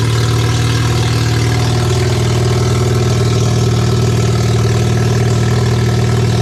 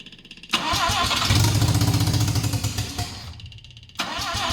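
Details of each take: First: Barn-find RX7 12A rotary, sat for years, first run on its carb with an electric fuel pump (needle and seats suspected of flooding, small leak): smooth, even, deep burble with steady revs and no misses; healthy idle. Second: Mazda 12A rotary from a barn-find RX7 that sat for years, with the choke zip-tied partly open: it fires and revs roughly about three seconds, sags and dies, running only on sprayed starting fluid despite fuel in the carb; carb fault suspected.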